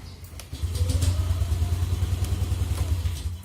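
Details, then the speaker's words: Yamaha Aerox with faulty Xride automatic idle speed control (ISC) valve, error 37 won't clear: engine rumbles into a rough, uneven idle for a few seconds then sags and dies; reluctant to start. "dan begitu kita nyalain Hai Motornya nggak mau nyala"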